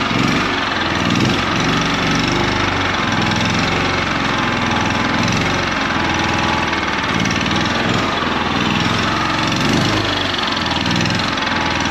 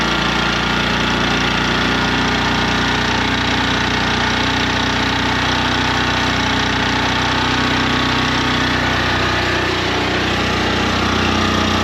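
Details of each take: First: 2019 Champion 100812 generator, used once then sat about four years, being revived; after choke off it idles with a slow, lumpy pulse that never evens out, sitting too low and rough; unclear whether it should idle up under load. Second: 2019 Champion 100812 generator revived after sitting about four years, running under load powering shop lights and grill lights; steady, even single-cylinder drone at constant speed with no hunting or misses, sounds like a generator should, healthy.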